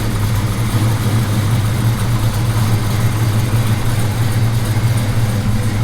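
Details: 1978 Chevy C10 V8 at idle, carburetor still awaiting adjustment: deep, steady burble with an even firing beat, no misses, knocks or ticks; normal, healthy idle.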